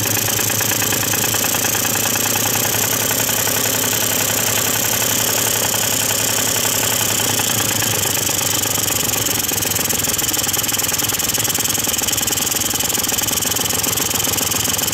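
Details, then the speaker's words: Two-stroke Quantum RS scooter after no-start repair and carburetor mixture adjustment, warming up: crisp, even buzz, smooth when speeding up and slowing, no misses or hunting, running properly. "tak powinien prawidłowo pracować głowy posłuchajcie tego dźwięku równomiernie przyspieszając i zwalniając musi być gładka praca tego silnika"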